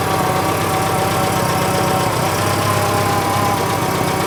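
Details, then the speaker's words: Citroen GSA at idle: a steady, harsh clattering idle with a fast, even patter over the engine drone. Abnormally loud, cause unclear. "yeah it's is massively noisy"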